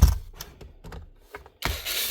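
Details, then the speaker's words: DeWalt DCN660 cordless nailer fires but leaves no mark in the timber; loose clicking and rattling inside the body when moved points to a broken driver blade (firing pin) inside the driver assembly. "This one's leaving nothing, so more than likely this pin is broken inside. And also, the rattling inside is also giving it away."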